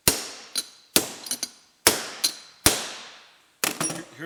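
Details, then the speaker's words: LH overdrive rebuild for 1968–1980 MGB: hammer taps via socket on the outer race, ringing decay, note changing as the bearing bottoms out, showing it is fully driven home and seated. "You can hear it. Uh you can hear the change in noise. You know it was driven home."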